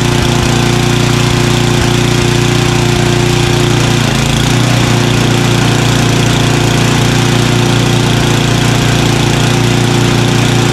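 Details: Craftsman 29" snowblower, 9HP Tecumseh, after carburetor cleaning with a blocked pilot jet cleared: low, even putter holding steady at the bottom of idle, no hunting or surging, idling smoothly.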